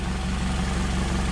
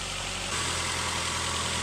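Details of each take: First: Nissan Altima with P0420 code, loud with exhaust entering the cabin in winter after muffler and resonator replaced: loud raspy idle with a fast even puffing pulse; the catalytic converter was cracked, causing an exhaust leak. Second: Nissan Altima with P0420 code, just after catalytic converter replacement: smooth, steady idle with an even hum, no puffing or rumble and no audible exhaust leak; quiet, normal running.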